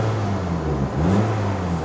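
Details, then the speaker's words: Nissan Cube (JDM) engine starting and running: low steady drone with a breathy puffing edge that swells with revs, plus possible heat shield rattle; owner thinks not chain; exhaust leak. "and there we go you can probably hear that blowing exhaust"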